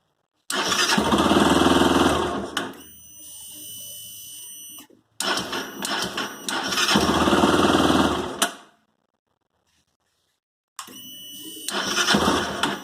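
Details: Honda CB 300 motorcycle, cold morning start: quick metallic clicking about four per second inside the engine as it turns over, over repeated starting attempts; owner asks what it could be, cause unknown.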